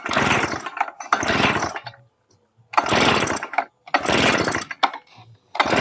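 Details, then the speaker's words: Yamamax Pro 3WF-3 14 L two-stroke mist blower on a test run: uneven one-second surges that die away between bursts and never settle, so it runs rough. Owner suspects the carburetor setting is wrong; idle is adjustable with a screwdriver. "Saya pause dulu, saya setting dulu karbunya. Karena ini sepertinya karbunya settingannya belum cocok."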